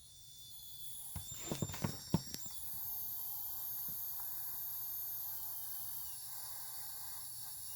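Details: New ASUS ROG PG279Q G-Sync monitor on DisplayPort at 144 Hz, speakers disabled, PC off: a few sharp ticks then a faint steady high-pitched hiss from the monitor.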